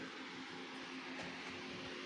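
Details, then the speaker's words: Anan 200D case with cooling mods: bottom fan, 3000 RPM fan and top 120 mm fans at full speed; steady even air rush with faint low hum, no rattles or wobble, jet-like loudness; running normally, case stays cold. "So I'm going to light this thing up, and it sounds like a 747 at takeoff. Hence, this is the reason why it's in the other room."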